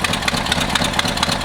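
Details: 1963 Ford F100 4x4 V8 bought with a suspected bad motor, idling on a little choke: sharp, regular puffing ticks about four a second over a lumpy idle; the exhaust leak is traced to the exhaust manifold gasket.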